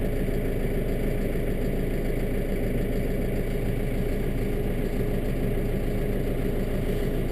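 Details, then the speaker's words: Kubota M7 diesel tractor, 42 hours, sat a while, warming up in park after a cold start on a mid-20s morning: steady, even low chug, no knocks or misses, uneventful; normal idle. "it's in park pretty uneventful pretty uneventful"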